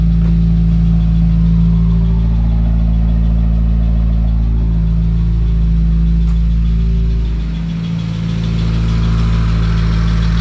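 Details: 2017 Subaru WRX cold start: rough, lumpy idle stumbling nearly four times a second over deep exhaust drone; cylinder 3 misfire, codes P0303 and P000fefe on Cobb AP, fine warm and at WOT; cylinders 1 and 3 plugs replaced, owner suspects internal issue from oil on cylinder 3 plug.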